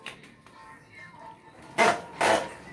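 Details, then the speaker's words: Yamaha YBR motorcycle lowered off center stand, rear worked up and down: two short dry creaks from the swingarm pivot bolt; inner swingarm bushings dry with age, squeaking, needing grease. "estão ouvindo esse barulho Vocês estão ouvindo isso aqui é embuchamento pessoal de balança esse parafusinho aqui ó as buchas de dentro elas estão seca certo"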